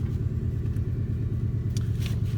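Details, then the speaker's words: 2004 Ford F-150 with 4.6 L Triton V8, rough running after the owner replaced all the ignition coils, codes P0300, P0302 and P0306: deep, uneven, lumpy idle with a steady misfire felt while monitoring fuel rail pressure; cause unconfirmed. "now that we have the engine running you could feel the misfire"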